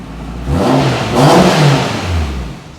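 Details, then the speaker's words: AWD Type R under acceleration after brake light wiring was fixed: engine pulls hard with a loud mechanical whir rising with speed over the exhaust; drivetrain very loud, source not identified. "this drivetrain is so loud on this car it's"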